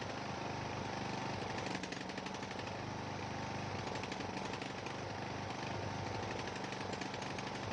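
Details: Ariens 42" geared riding mower, 17.5 hp Briggs & Stratton (31C707), Nikki carburetor, long neglected; new fuel filter, fresh gas, fuel flow fine, throttle moved: choppy lumpy beat about four pulses a second, smooth only at some throttle positions; carburetor suspected, unconfirmed.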